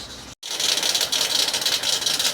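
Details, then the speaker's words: Peugeot 206 at idle: fast, raspy high-pitched chatter every time it starts, from the accessory belt. The belt is the wrong one (the AC does not work) and is nearly slipping off its pulleys. "Ó, o barulho parece vir daqui que é da correia de acessório."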